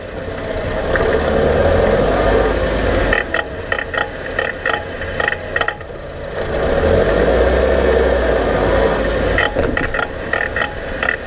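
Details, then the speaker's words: Late-2000s Honda Civic, about 300,000 km: road hum with bursts of rapid rattling clunks when braking while slowing at low speed; excessive brake rotor parallelism/thickness variation moves the caliper back and forth, causing the knock; fix the rotor. "so while the noise itself may be coming from the caliper caliper is not the root cause in this particular application that the brake rotor had an excessive parallelism which was causing the caliper to move back and forth"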